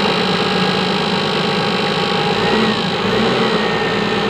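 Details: 5-ton diesel forklift that keeps stalling: rough, rattly tick over the running engine while revved, which disappears when the fuel hand pump is pressed and returns on release; fuel supply problem suspected.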